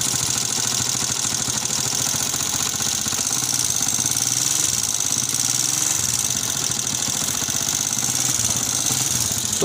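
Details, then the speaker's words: Honda CG125 motorcycle engine with smoke from the breather pipe (blow-by): busy mechanical clatter over steady idle with loud ticking on top; worn, noisy engine, little white smoke at silencer, cause not yet confirmed before opening it up. "कि इसके engine की आवाजें आ रही है FICCI काफी ज्यादा आवाज है"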